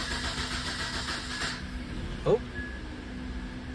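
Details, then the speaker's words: Car with a suspected small vacuum leak, restarted after repeated no-starts blamed on an Xtool D7 scan tool, with fuel pressure and injectors checked; it catches but idles raggedly and unevenly, running rough with the cause unknown. "so this time it did but it still sounds like absolute death um something's weird about it"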